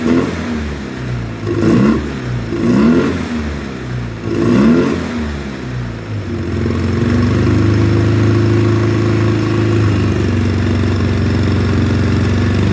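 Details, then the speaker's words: 2009 Polaris Sportsman 800, sat six months, bad fuel pump, injection cleaner in fuel; injectors possibly gummed: three clean throttle blips, then a steady high-rpm drone; revs freely up top though mid-range and idle are poor. "mid-range kind of sucks but from mid-range up to wide open throttle it runs great as you heard it was revving up really good"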